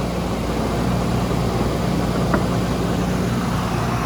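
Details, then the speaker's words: 1998 Nissan R34 Skyline GT-T automatic, turbo Neo straight-six with catalyst, fresh timing belt, cold start: steady, even low idle with a smooth quiet hum, rpm holding fine, no smoke, misses or exhaust pops; normal cold idle. "Even with the cold start, the RPMs are holding fine. I'm sure that'll calm down a little bit. and no smoke, no popping out of the muffler or anything of that nature. Sounds good."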